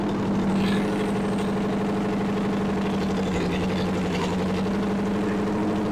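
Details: 1964 Chevy 283 small-block V8, fresh budget rebuild with DIY porting, break-in on a test stand: steady even rumble at fast warm-up idle, no misses or knocks; healthy fresh rebuild.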